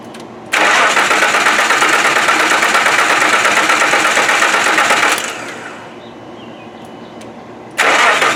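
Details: 1995 Nissan first start attempt, with fresh oil, no coolant, MAF and vacuum lines reconnected and a spare coil possibly from a 92: even, fast cranking about five seconds that never fires; no fuel or spark suspected, not confirmed.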